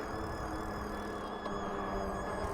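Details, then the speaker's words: Mokwheel Obsidian ST e-bike (750 W rear hub motor, 26x4 fat tyres), slowing while riding: steady high-pitched whine over the rolling noise, seemingly from the front wheel; after a wet ride, owner suspects it needs lube. "And something I just noticed, too. Do you guys hear that whining noise coming from the front wheel here?"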